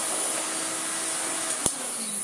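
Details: Vintage Miele S228i vacuum cleaner after plug rewiring and cord reel replacement: steady, even motor rush with constant airflow hiss, no surging or rattles; normal vacuum suction.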